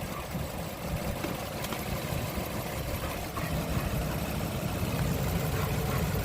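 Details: 2003–2009 Toyota Sienna V6 (3.3) with no-charge fault, main fuse temporarily bridged with a bottle cap: steady even low idle rumble, no knocks or misses; engine runs smoothly.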